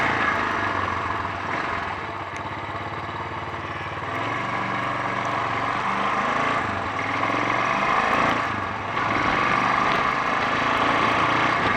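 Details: Honda XL 350 on a road test after blown head gasket repair: uneven single-cylinder running that stumbles and splutters, bogging when accelerating, under wind and road noise; cause unconfirmed, carburetor being investigated; handling also poor.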